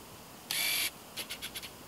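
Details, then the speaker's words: Canon 18-55mm kit lens (originally supplied with a Canon Rebel T3i) focusing, with the lens right next to the microphone; loud buzzy focus whirr then short jittery chatters, a noisy autofocus motor, heard before comparing the 18-135mm STM lens. "And there you could hear that there's a lot of jittery noise and just really, really loud focusing sound."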